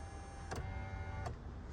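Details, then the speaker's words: 2020 Ram 1500 right rear power window: thin electric motor whir with a click at each switch press but glass not moving; broken regulator, motor and regulator being replaced. "The window motor is working, I can hear it spin, but the window doesn't want to go up or down."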